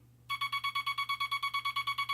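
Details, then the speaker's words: Semi-automatic telegraph bug dots with the dot stabilizer hooked up, keeping the contact points from sliding: an even train of crisp, succinct beeps at about seven per second, no chatter between them; clean dots, versus terrible-sounding dots without the stabilizer. "So you can hear the dots are very, very succinct,"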